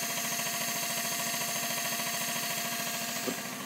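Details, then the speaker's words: 1989 Nissan Bluebird carb-to-injection conversion, surge tank setup: a Bosch 044 and a Facet Posi-flo pump running together make a loud, steady high buzz pulsing about three times a second, drawing under 11 A total, working normally. "Just have a look at all this running now. So it is quite loud, as you can"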